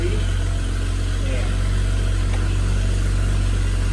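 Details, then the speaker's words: BMW 535xi E61 wagon with RB Stage 1 turbos, downpipes, inlets and front-mount charge pipe, after replacing the exhaust gaskets for the third time: a steady, quiet idle drone with no puffing or ticking, downpipes slightly louder. Normal exhaust note. "All right. Let's see how it sounds. Oh yeah. Very quiet."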